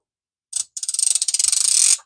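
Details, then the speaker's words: Daiwa 406 vintage reel after repair and reassembly, cranking with the clicker on: one short burst, then crisp, even clicking about seventeen per second; the anti-reverse clicker works properly. "doesn't that sound good gotta love it real with clicker on now I'm not talking about the line out I'm talking about the actual cranking just love that sound when I'm fishing with these old reels and they click like that"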